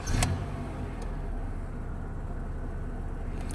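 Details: 1998 Honda Accord that cranked but wouldn't start, traced to a bad original key chip (immobilizer light blinking), not timing belt; with new key, quick catch then steady even low idle, starts normally.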